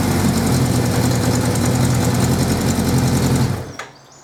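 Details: 1979 Suzuki GS550E four-cylinder, first run after about 5 years laid up on old fuel: fast, slightly uneven patter with occasional pops before shutting off. Carbs not blocked, but it could do with a tune-up.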